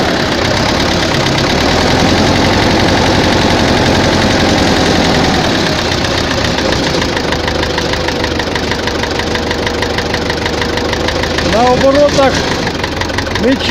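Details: Tractor diesel idling with hard regular knock about three per second; heard at idle and mid revs, not high; fuel pump and injectors ruled out; head fine, cylinder 4 heavily worn.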